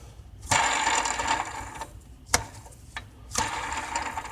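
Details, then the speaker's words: Ford engine, tensioner pulley spun by hand with the belt off, after a whine resembling a power steering pump that did not change with steering: a dry, gritty whirring rush fading as it slows; worn tensioner pulley bearing. "oh yeah is the tensioner pulley can actually hear it"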